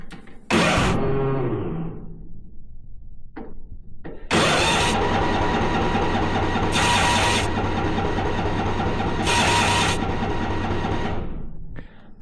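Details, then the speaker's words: Yard Machines 638 RL riding mower, Tecumseh OV3582AA 13.5 hp, in park, choked, battery recently charged: repeated cranking bursts but no start; lots of fuel around the carburetor, later fixed with a new carburetor and spark plug. "It's a no go. Everything here looks good. There seems to be a lot of fuel around the carburetor."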